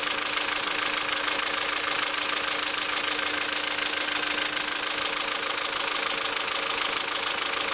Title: engine noise after 2nd TCT